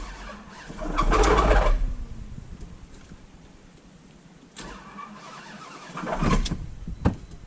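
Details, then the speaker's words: Lexus SUV that was run out of oil, on a jumper box: short, labored starter bursts that drag and die without turning over. The engine has locked up again after running out of oil. "The lack of oil killed the oil pump, and then, you know, no oil just ruined everything else."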